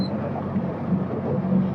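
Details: Small boat outboard running under way while heading back to the marina, after an earlier no-start blamed on operator error with a finely tuned gear selector. Steady, even low drone with no misses, knocks or surges; normal running.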